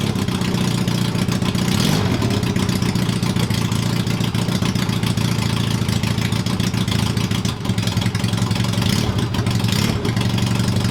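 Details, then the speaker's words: Honda CB250 scrambler, first run with tank fitted, jetting not yet done. Loud, raw idle with a couple of clean rev blips; runs evenly and picks up fine. Normal running and revving. "now that is a bit of a success that's made my evening that's the best part today I'm so happy with that she runs and not that bad considering I've not done the jet or anything on"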